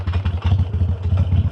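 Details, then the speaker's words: 2013 Harley-Davidson Iron 883 V-twin lugged in third gear gives a slow, heavy pulsing with rattly primary chain case chatter riding on each beat. "That's bad thing about having ear plugs in. I didn't hear the the chatter from the chain case."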